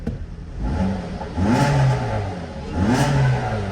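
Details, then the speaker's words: 2014 Dodge Dart 2.4L MultiAir after installing a used MultiAir brick and clearing codes: engine sweeps up and down twice, rising and falling smoothly with no stumble; healthy rev, though an occasional miss is noted afterward. "Revving up good. Revving up real good."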